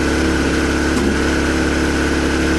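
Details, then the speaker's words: Suzuki Bandit 600, recently revived and found firing on only three cylinders: steady idle on light choke, lumpy with occasional coughs like one cylinder dropping out. The owner suspects one particular cylinder. "But you can hear it coughing and spluttering again. So that's what's making me think it might be that one."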